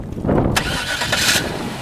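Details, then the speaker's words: 1996 Cadillac Eldorado, 4.6L Northstar 32-valve V8, about 17,000 original miles, new battery. Quick crank, catches at once and settles into an even, smooth idle; normal start. "you nice smooth runner these are it looks like a 17 000 mile engine real clean under the hood"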